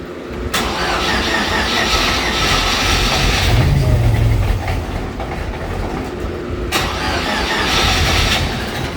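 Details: Supercharged hot rod with new fuel system and Holley Super Sniper EFI, second start attempt after charging the battery, distributor not locked out: rhythmic cranking for a few seconds, then it catches into a rough, unsteady run.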